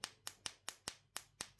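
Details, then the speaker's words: Standard (non-silent) mouse-type microswitch demonstrated while repairing a Logitech MX Anywhere 3S: the membrane closes the circuit with sharp, crisp, loud clicks, about four or five a second, each clean and identical. A healthy switch. "zárja az áramkört, és ugye egy erős membrános kattanást lehet hallani."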